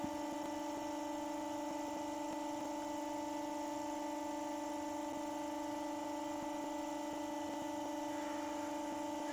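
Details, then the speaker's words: Motor on new RC bearings holding about 1400 rpm (1416); quiet even electrical hum with faint regular ticking, no grinding or rumble. Runs smoothly, much less drag than the old China bearings. "is that just goes to prove that goes to prove what happens when you have decent bearings and it's definitely true what they said on the um on the bot on the packaging about it being friction free yeah much less friction or less drag"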